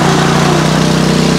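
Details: PowerSmart 4400-watt MB5040B generator deliberately overloaded, overload light flashing, oil previously found low: steady, loaded-down drone with constant low hum and no surging; working hard at its overload limit.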